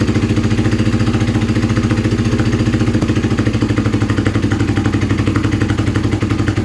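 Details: Kawasaki KZ440 project bike, new spark plugs, choke on one side: loud, fast popping exhaust pulses at a fast idle with uneven beat and much smoke; rough running, suspected lean carburetion, not confirmed.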